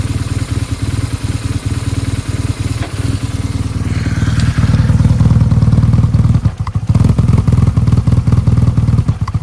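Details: BMW R1200GSA boxer, at full operating temperature: deep uneven lumpy idle with irregular thuds and stumbles, hunting and near stalling; persists despite new plugs and coils, checked valves, synced throttle bodies and reset adaptations; cause unclear.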